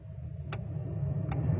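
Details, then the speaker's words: 2003 Ford Taurus, new blower motor just installed, key on with engine off: steady low fan whir building smoothly with a couple of faint clicks, heard on all fan speeds; normal blower motor running. "okay so i can hear it on all the different speeds"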